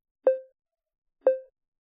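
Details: iPhone on iOS 14 with VoiceOver: two short, soft mid-pitched blips a second apart, the detected-text-in-images alert, heard when opening or scrolling apps; fixed by turning that VoiceOver sound off.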